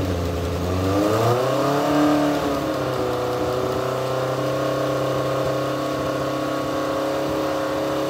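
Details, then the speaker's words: Newly swapped race car motor on first fire-up, carburetor pouring fuel, alternator backfeeding the ignition system: catches and revs unevenly, then settles to a rough, rich run; flooding suspected, carburetor needles and seats may need servicing. "the car bear is just pouring gas we're gonna try to crank it one more time and tap it if it don't work uh we're gonna have to uh pull the carburetors off and go through these needles and seats"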